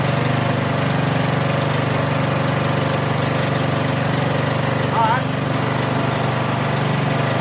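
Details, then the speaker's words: 2013 Troy-Bilt Bronco small single-cylinder engine, first start after sitting three years, on a new battery and clean tank: fired right up, smooth steady putter, no stumbles; healthy idle. "Well, that was hard. She fired right up."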